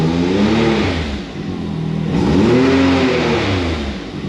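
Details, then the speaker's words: Can-Am Maverick X3 turbo with black smoke, no check-engine codes and boost reading negative six to seven while revved: engine revs up and down twice with a supercharger-like hiss over the exhaust; bad or blown turbo suspected. "we know we got that hissing sound that sounds like a Supercharger so that's two signs of it"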